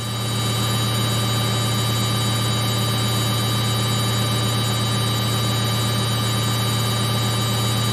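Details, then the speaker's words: Samsung 8kg Eco Bubble front-load washer, used 3 years, final spin at 1200 RPM: smooth, constant low drone, no knocking, thumping or grinding; steady, balanced normal spin cycle. "That way the machine is so stable, so that even when it spins at high speeds, it does not make a lot of noise."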